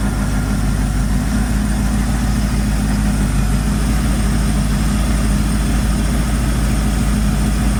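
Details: 1978 Ford F100 V8 idling after harmonic balancer replacement and many new gaskets, before warm-up and leak check: deep, steady, even rumble with no knocks or ticks, a healthy normal idle.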